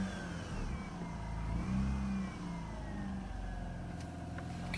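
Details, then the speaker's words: Mazda RX-8 rotary, cold, flooded by long cranking after sitting four days: rough, uneven revving surging and sagging with throttle floored and heavy smoke, clearing excess fuel. "this is pretty much uh it's been flooded with me spinning so much"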